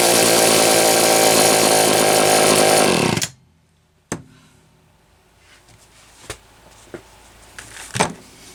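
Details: Homelite XL-123 chainsaw after condenser replacement cured ignition popping and banging: strong, steady high-revving two-stroke buzz, no popping or misfire for about three seconds before shutting off; runs clean.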